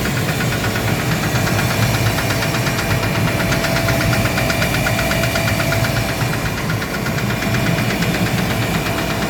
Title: Gardner Denver screw air compressor knocking noise rectified after replacing pressure valve.